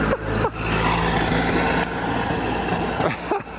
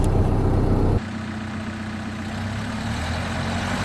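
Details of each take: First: 1930 Ford Model A pickup, off the road since 1986, test drive after fuel tank cleaning: uneven, stumbling engine note surging and sagging with ragged firing; fuel starvation, suspected debris in the fuel valve slowly trickling fuel into the carburettor bowl. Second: 1930 Ford Model A pickup, off the road since 1986, after fuel tank cleaning for clogging and fuel starvation, test drive uphill on light throttle: steady, even low four-cylinder rumble, no misses or stumbles; healthy engine under load.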